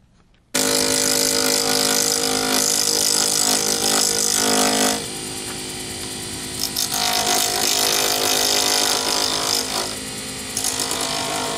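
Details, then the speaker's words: Lathe gouge turning a D-shaped resin circuit-board pen blank for a Sierra pen chatters loudly at about four hits a second on the corners, then turns to a smooth rubbing sound once the blank is round. "I hope you could discern the difference in nice there when you're hitting the corners you get a an obvious chattering noise then as you get down to actually turning a round object you have no more noises it just sounds like you're rubbing on the plastic"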